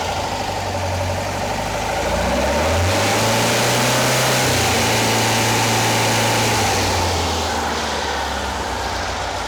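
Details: Porsche 912 flat-four engine fitted in a 911, rebuilt from a failed project, first start with ignition timing dialed back from about 38 to around 31–32 degrees: even, steady beat at raised idle, rising briefly then settling without stumble.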